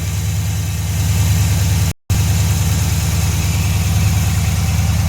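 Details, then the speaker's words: 2011 Dodge Challenger SRT8 392 Hemi (6.4) after replacing the serpentine belt, tensioner and idler pulley: a steady, even V8 idle with no squeal or chirp from the belt drive, so it sounds healthy. "Oh, everything looks good, sounds good. No squealing."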